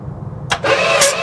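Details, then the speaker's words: 1973 Dodge 7500 Adventurer Sport camper pickup with a big block (possibly a 440), not run since 1998, PB Blaster sprayed in, cranked on a jump pack with a thumb over each plug hole. The engine spins briskly and evenly with strong compression. "I'm gonna just put my thumb over the holes and we'll jump it and crank it and see if we have any compression. Real good, That's real good."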